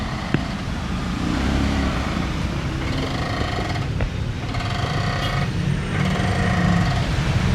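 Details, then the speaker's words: Honda City under chassis: over a low idling rumble, loud squeaky creaks in waves with occasional sharp knock from the front suspension when steering left or right; worn stabilizer link creak and knock. "Yan guys, napaka napakalakas ng ingay niya pag kinakabig natin yung manobela or agag pumapaling yung dalawang gulong niya sa kaliwa o sa kanan."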